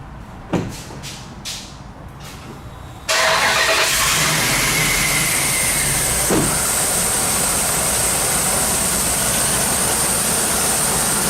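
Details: 2004 Dodge Ram half-ton 5.7L V8 idling with fast sharp ticking from both exhaust manifolds, leaking past broken manifold bolts; heat shield also broken.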